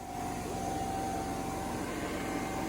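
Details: New 295 planter test run with seed dropping confirmed: vacuum fan gives a smooth steady airy whoosh with a constant tone, no rattles or wobble; the fan runs normally.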